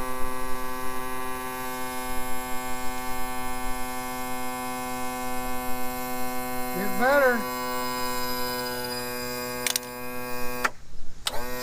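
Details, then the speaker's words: 2000 Yamaha 60hp outboard tilt and trim pump after topping up with ATF+4, fixing the positive battery lead and closing the open manual release valve: steady even motor hum with a brief warble on direction change, no leaking; normal trim operation. "see we didn't have any running out that's good it means it's working"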